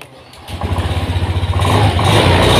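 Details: Honda BeAT FI (new Euro 5 model) after ECU reset with a homemade restart tool: short crank, fires at once and settles into a smooth, even idle with quick, clean pulses; normal start and idle.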